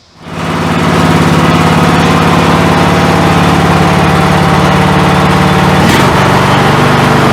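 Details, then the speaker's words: MTD mower, Briggs & Stratton Intek 17.5 hp, after carburetor replacement: starts and settles into low steady even idle, no hunting or misfire, no fuel leaking past needle seat; normal idle. "it's running a lot better he'll actually idle head a low rpm we're all smoothly and it's not leaking by the needle at all on the old seat"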